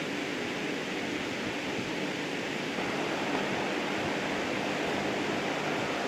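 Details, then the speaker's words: Vintage 1960s GE window fan after cleaning and oiling the motor (output shaft flat rounded off), motor not yet blown out, running on low: smooth, even rush of air with no ticks, rubbing or wobble; normal, quiet and healthy. "Down to low. It seems like it's running pretty nicely now."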